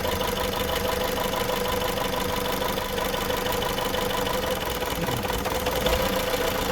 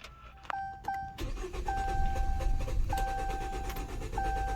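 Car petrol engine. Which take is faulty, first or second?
second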